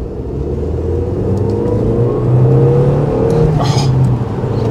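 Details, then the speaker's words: 2004 first-generation Skoda Octavia vRS on the Isle of Man TT course: engine note climbs smoothly under hard acceleration with a brief airy turbo whoosh on top of the rising drone; healthy turbo spooling. "that whoosh. Oh man, the sounds it makes and the sensation it gives you. Brilliant. Takes you back straight away, doesn't it?"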